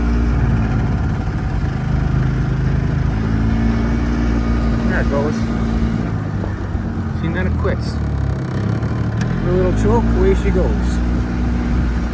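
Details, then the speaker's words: Edsel engine running on choke: speed sags and picks back up unevenly with a loping, stumbling four-stroking beat, swinging between rich and out of fuel, behaving differently under load; owner suspects fuel delivery issue. "It's four stroking. Then it's rich. There's like no happy medium on this choke. She hungs right along and then out of fuel. I think we have a fuel delivery issue."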